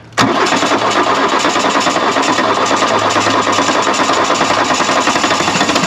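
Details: 1979 Mark 1 VW Rabbit diesel abandoned 30+ years in the woods: sudden catch into a steady, even clatter that keeps running; it fires once the air is cleared from the fuel, after long cranking while slinging oil.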